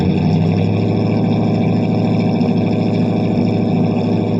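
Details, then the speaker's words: 1978 Pontiac Bonneville 301 V8, cold start after nearly two months snowed in, single-chamber muffler, no cat: loud uneven idle, beat wandering and stumbling; owner suspects plugged carburetor idle circuit since it won't idle once the choke comes off. "car bear needs to be taken apart the idle circuit I think is plugged up in it cuz it will not idle once the choke comes off"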